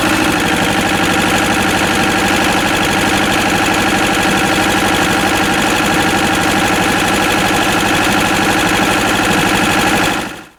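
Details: Westwood lawn tractor with Ruggerini twin-cylinder air-cooled vertical-shaft diesel, previously hydrolocked, after repair with new starter motor: even, steady clatter at a fast idle, no misses or knocks; normal running.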